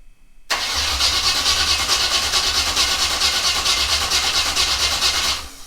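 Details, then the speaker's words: 1986 Camaro Z28, 355 V8/TH350, freshly started after sitting all winter: uneven lumpy pulse that hunts and won't settle; pumping poorly and too much throttle pumped, suspected causes. "looks like when you're going to try to keep it alive you're pumping way too much throttle into it instead of just kind of opening up a little bit"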